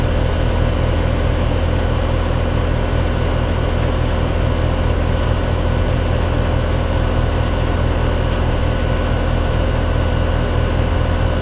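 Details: Three-year-old heat pump/AC condenser after a bad capacitor was replaced, with 129 suction, 234 head and 15 degree superheat: steady, even low hum from compressor and fan with no rattles or buzzing; running normally.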